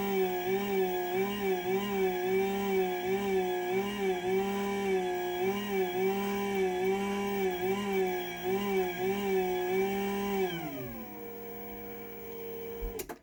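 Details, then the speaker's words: Chamberlain higher-end opener with the DC motor shared across its high-end line: a steady droning whine that wavers about three times a second, then winds down and stops; a noisy DC opener motor, louder than a Genie. "So that's a Chamberlain, and like I said, all the higher end openers have the same DC motor in them."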